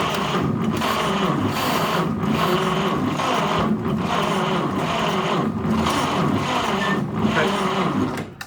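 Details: 1946 Chevy pickup straight-six, farm truck sitting in a barn since the late 1980s, first start attempt: even whirring crank with a surge about every 1.5 seconds, barely catching; a stuck-open exhaust valve is killing compression.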